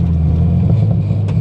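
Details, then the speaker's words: 1990 Mazda Miata NA driving after alternator replacement, which cured dying at idle: steady, even low engine drone and good exhaust note, no misses, surging or knocks; healthy running engine. "But it is running so good right now. The exhaust sounds good."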